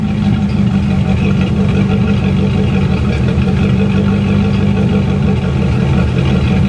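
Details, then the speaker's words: C4 Corvette after head gasket work and adjusting an overly tight passenger-side valve that caused popping: deep, even burble at idle with no popping or misses; engine now idles smooth. "Now she idles smooth."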